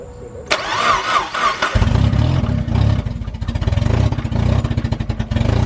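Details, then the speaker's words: Project car said to start but have funny noises: starter cranks, engine catches and revs, then idles with a quick, even tapping knock; cause unconfirmed. "Dennis says it starts it just has some funny noises"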